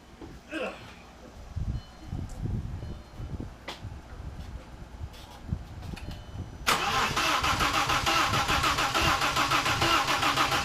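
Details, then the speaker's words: Audi with a backup engine just reinstalled, battery at 12.4 V, clutch pushed in; starter cranks in uneven bursts without catching, then briefly fires and roars; starting fault, owner suspects low voltage, and a vacuum line was left disconnected. "so now what's wrong not enough voltage maybe that I forgot something"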